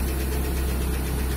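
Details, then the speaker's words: Lada Priora petrol engine at idle, running evenly, with a light, quick ticking over the hum. Replacing the bearings did not fix it; the owner suspects a worn exhaust camshaft. Cause unconfirmed. "И, мне кажется, звук исходит со стороны распредвала выпускного."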